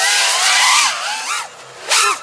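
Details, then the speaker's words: HobbyMate Meteor 5 FPV drone on full-throttle passes: screaming motor whine with rough, buzzy edge; high-throttle D-term oscillation, owner suspects it needs more TPA. "Yeah, it sounds like it has some high throttle D-term oscillation."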